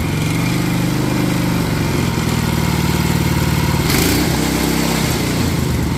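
Small single revs up hard and holds a steady, even high-speed drone with no knocks or surging, a healthy new engine at full throttle.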